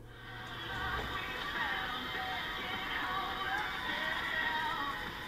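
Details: RCA 8-X-541 tube AM radio playing music cleanly and steadily with no crackling, after fixing a compromised capacitor and solder joint that caused the crackling noise.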